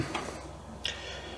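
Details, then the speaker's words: Restored Commodore Amiga 600 powered on after cleaning and servicing, no disk inserted: in a quiet room, a single sharp tick about every 0.7 seconds from the empty floppy drive. This is the normal Amiga drive click before boot. "You always know when it's going to boot because you get the Amiga tick, and hopefully you can hear that tick coming from the Amiga's floppy drive."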